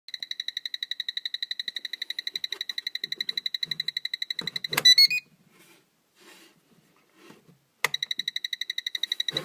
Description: Got woken up by a noise on the lower floor. Found a controller making noise in the off position pulled the batteries as I was worried for a fire hazard.